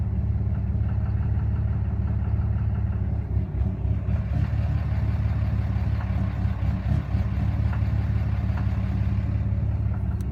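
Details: 2013 Cummins 6.7 diesel, fully deleted, with a deep idle that dips and surges every few seconds over uneven knocking beats. It also burps off throttle; the FCA was replaced with no change, no check-engine lights. A rough, hunting idle with unknown cause.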